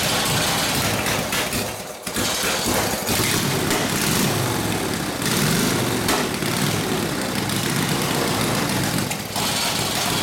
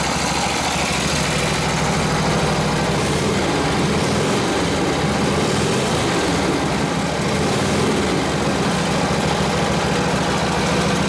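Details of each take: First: Harley WL 45ci flathead V-twin in a 1932-34 RL frame, no throttle, barely-cracked idle, already hot, no choke: uneven, stumbling run, note dipping and catching, near stall around two seconds; possible fuel starvation, gas perhaps not reaching the fuel line. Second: Harley WL 45ci flathead V-twin, 1939-40 3-speed, 16" star hub drum brake: even, steady low throb near full throttle with brake buried, no coughing or surging; took the load, normal running, after fixing a bad fender ground.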